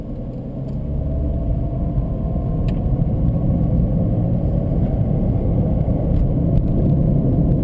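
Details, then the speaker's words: Jeep Liberty at about 30 km/h gives a low, rough growl that builds with speed, from the passenger front side; the worn front right wheel bearing/hub is to be replaced, and ABS and traction lights were flickering. "30 kilometers an hour and boy it's just growling I hope that you can hear it it's coming off the passenger front side"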